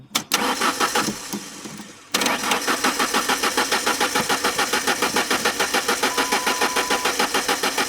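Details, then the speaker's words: 1996 Mazda B2300 sat 15 years, cranking after fuel pump check: steady fast cranking about three and a half beats a second, never catches; no fuel reaching the rail, crank no start. "Don't cycle it. Still no fuel. Let's just try it."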